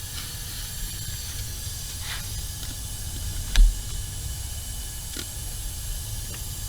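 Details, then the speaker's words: 1980 Ford Fiesta, engine not running, leak-down test on the cylinder nearest the driver's side (assumed No. 1) despite resetting top dead centre three times: steady faint hiss of escaping air; cylinder won't hold air although compression read about 140; stuck ring suspected. "the last cylinder the one closest to the driver's side which i assume is cylinder number one and no matter what we did it just wouldn't hold"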